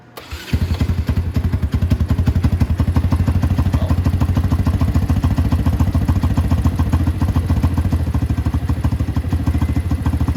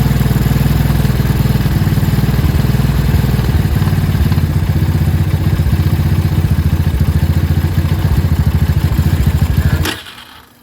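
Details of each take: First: Small motorcycle, 125 or 250, started cold: slow, uneven idle around three pulses a second, loping and about to stall; suspected low idle or minor vacuum leak, not confirmed. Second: 125 or 250 cc motorcycle that had been stalling at idle, after the idle was turned up slightly: quick, even single-cylinder pulses holding steady, a clean idle in the 1500–2000 rpm range.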